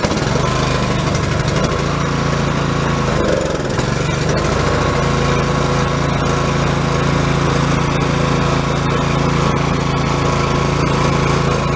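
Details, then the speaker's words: Ariens snowblower with a Robin/Subaru SX17 6 HP engine, after cleaning its clogged Mikuni carburetor: single-cylinder holds a steady, even beat at part throttle with the choke fully off, no hunting or surging as before. Normal steady running. "So it's running there with the choke all the way off. Not surging like it was before."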